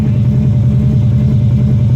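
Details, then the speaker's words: Third-generation Hemi V8 heard inside the cabin, shaking at idle: heavy uneven lope like a big cam though none is fitted, low and shaky; rough idle just before lightning-bolt limp mode. "like it's got a cam. But I ain't got no cam."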